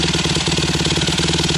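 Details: Honda CRF150R single-cylinder engine just after a fresh rebuild, already started: crisp, evenly spaced idle pulses at a steady rate with no ticks or knocks; runs clean and healthy.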